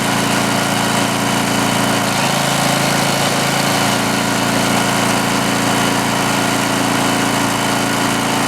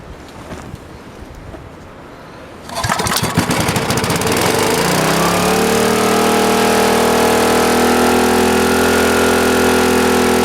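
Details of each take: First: Greenlee 5000-watt generator bought at auction, missing its air breather, running a drill: steady, even drone that holds speed with no hunting or misses; runs healthy under load. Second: Greenlee 5000 W generator bought for five dollars at auction, cold start with the air breather missing: it catches after a couple of pulls and settles into a high, steady buzz. The owner suspects it is overspeeding and points to carburettor adjustment.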